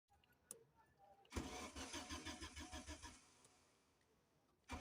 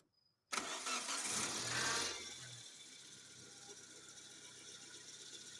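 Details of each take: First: all electrical systems are okay but engine cranks and won't start there is no fuel pressure in fuel line because of bad fuel pump and fuel filter Second: Engine that cranked without starting from no fuel pressure, after fuel pump replacement and fuel filter cleaning: short crank, catches right away, then a smooth, steady idle with no misses.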